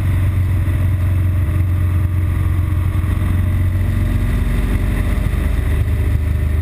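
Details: BMW R1200GS Adventure with an intermittent stall and rough-idle fault, usually after a 20-mile A-road run into traffic, filtering through traffic with a steady, even boxer drone and no stumbles; running cleanly before the fault appears.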